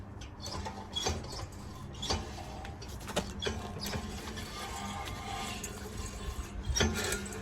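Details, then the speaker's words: BMW 1 Series rear wheel, rattling when driving, turned by hand on jack: light scraping scuff about once a turn from inside the handbrake mechanism, bearing okay; handbrake shoes found fitted upside down. "sounds a bit that does that sounds like something much going on inside the handbrake mechanism it's not the bearing the bearing feels okay"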